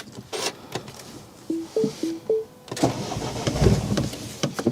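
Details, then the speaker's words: R56 Mini Cooper S with about 113,000 miles and a high clutch. Short starter bursts, then longer cranking that never fires. The owner suspects not enough fuel. Crank, no start. "Oh, no bueno. I think it's not even firing up now."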